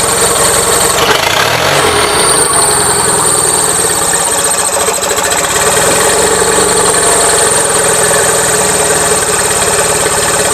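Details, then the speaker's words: Gravely 450 with Onan CCKA twin, shroud off, running loud and uneven with rough irregular tapping under exhaust; running a little rich, owner suspects compression escaping or pistons, now doubting cam bearings; knocking noise. "running a little rich to me it sounds like compression escaping somewhere trick is I don't know which son okay back to the drawing board I'm starting to not think it's cam bearings"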